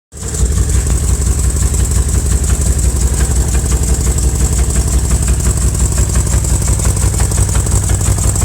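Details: 2000 BMW M5 engine at idle: a steady idle with a regular knock of about three per second over the exhaust note, suspected to come from the bottom end; engine knock.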